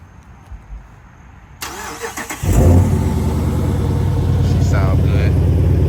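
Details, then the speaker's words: Chrysler 300 after installing a 3.09 limited-slip differential, started warm rather than cold: quick crank, catches cleanly and settles into a steady, even low idle; healthy warm start. "but I'm going to give y little startup not cold just warm you know what I'm saying"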